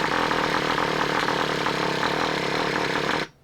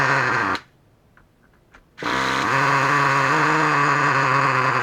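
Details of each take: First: Traxxas Revo 3.3 nitro engine just swapped in, first start after priming by finger over the exhaust. It fires and buzzes about three seconds, then cuts out. Hard starting, and it is suspected to be flooded already. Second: New Traxxas Revo 3.3 nitro engine running on its first idle break-in tanks after a motor swap. A high, screaming note holds steady with a slight waver and brief cutouts; normal running during break-in.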